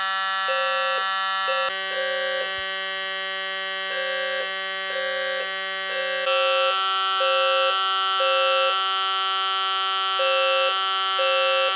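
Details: Edwards 270 SPO pull station activated on a fire alarm test board; one horn blares steadily while another pulses in threes, about once a second, with the panel in general alarm and signalling correctly.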